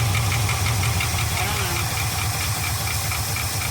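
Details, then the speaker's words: Abandoned 1975 Ford F500 rollback, first start after 17 years in a field sitting with the air cleaner off, running on its fuel pump, idle raised slowly: a light metallic tick about four a second over a rough V8 idle, a top-end rattle; owner suspects one rocker on one side. "we're gonna bring the idle up ever so slowly top end still got a rattle huh"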